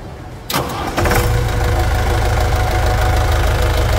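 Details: 1991 Chevrolet D20 with a freshly assembled Maxion S4T Plus diesel, after tank cleaning and service: the starter cranks briefly, then it catches and settles into a steady, even idle with no knocks or misses.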